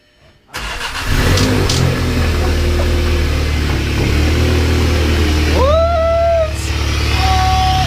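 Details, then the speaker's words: VW MK7 GTI after a manual transmission swap, jump-started with the intake removed. A strong throaty drone, loud intake rush and a whoosh on revs; runs and revs with every dash light on. Loud induction noise with intake off. "It never did that because the intake's off. Why is it queefing? Boy, that sounds wicked."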